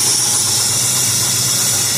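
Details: 1969 Dodge Dart that sat 6 months on old 10% ethanol gas, after a stuck needle and seat and a deteriorated accelerator pump. The fuel hose was repositioned. It now idles steadily and evenly under a hissy background, with no misses or stumbles.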